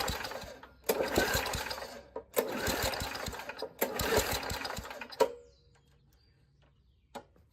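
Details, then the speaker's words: Old Murray push mower, 3.5 hp Tecumseh engine (about 1989–99), pull-start: three hard cord pulls then one pop and silence, no start despite strong fuel smell; owner suspects the carburetor needs rebuilding. "I think our carb needs to be rebuilt"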